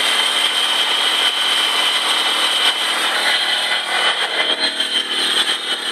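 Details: Stealth RT twin turbo running: high, steady whine above the mechanical noise, new about a week ago; owner suspects a belt tensioner, probably the lower alternator/AC one, unconfirmed.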